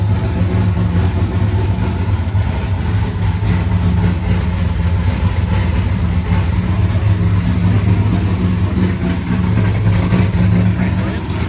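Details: First start of a rebuilt C5 V8 with a Michigan Motorsports drift cam and ported 243 heads, showing 50 psi oil pressure. Loud, deep, choppy steady lope at idle; a bystander says it sounds like a vacuum leak. Normal cammed V8 idle.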